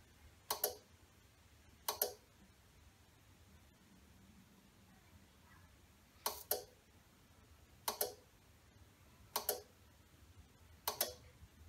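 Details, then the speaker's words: Motech Solco solar inverter (3.8 kW rated), showing relay failure, in start-up countdown with flashing green light; sharp relay clicks about every 1.5 s, repeatedly trying and failing to engage; reboot didn't fix it. "it's trying to start up but it's not actually working if the inverter is working the green light should be on constant you can hear them relays trying to click in there"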